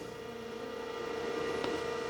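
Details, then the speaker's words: Datavue Snap 1+1 portable MS-DOS computer with its hard drive reconnected and boot disk removed: a steady thin spindle whine with one faint head click, as the drive spins and seeks a little but never boots. "I've removed the boot this so we're just waiting to see if it's going to do anything I can hear the heads moving a little bit"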